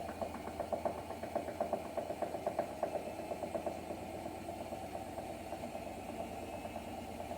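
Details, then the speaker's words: Hotpoint WMFUG942 washer with brushless motor, drum spinning down: uneven thumping two to three times a second, easing off; drum very off balance from off-balance spider. "Watch as the drum comes to a stop. Guys, the drum is very off balance."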